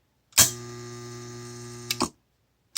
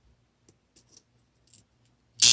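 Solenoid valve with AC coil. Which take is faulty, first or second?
second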